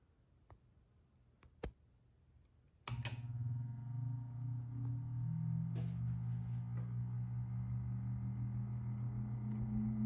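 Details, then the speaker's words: Restored 1938 Emerson 87641-AK PSC Roundnose antique ceiling fan, new old stock leveler fitted, started on high: quiet clicks, then a smooth low hum slowly rising and steadying as the heavy blades come up to speed (normally quick); healthy normal running. "speed yeah these normally get up to speed really quickly but but uh these are just really heavy blades takes a little bit of time"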